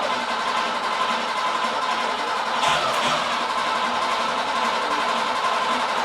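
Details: FIA-compliant Porsche 910 race engine, freshly built with MFI-type setup, on dyno jig before dyno run-in and tuning: steady, busy idle at an even level with no knocks or misses; running smoothly.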